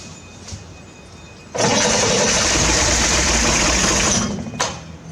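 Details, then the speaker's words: 1968 Corvair being revived after sitting, carbs primed, fuel fed from a bucket: the starter grinds a few seconds with only a couple of brief barks and no catch. It cranks but won't sustain running; owner suspects the mechanical fuel pump can't pull fuel. "So, I couldn't get it to run. I got it to crank. I got it to kind of bark off a couple times, but I wasn't able to get it to sustain sustainably run."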